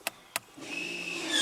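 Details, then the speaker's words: 2011 Audi A4 3.0 V6 rear electric parking brake tested via scan tool, system normal with no faults: two sharp clicks then the actuator motor whines up steadily as the pistons move open and closed; operating normally. "Là, vous entendez, on entend les pistons électriques qui se déplacent et qui s'ouvrent et qui se ferment."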